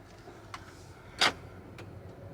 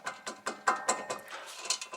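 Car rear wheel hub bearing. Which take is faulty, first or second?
second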